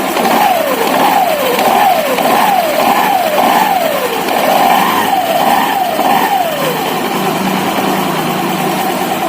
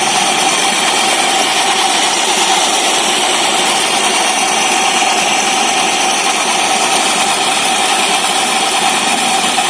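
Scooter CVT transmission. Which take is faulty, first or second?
second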